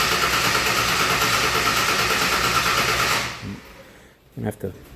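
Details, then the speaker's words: Ford Falcon 302 small-block V8, mixture screws just turned back anticlockwise to original setting: starter cranks steadily about three seconds without catching, then stops; dry intake manifold making it slow to fire, starts on retry. "so we'll start her up might take a little bit cuz the uh manifold will be quite dry now we'll crank her [Music]"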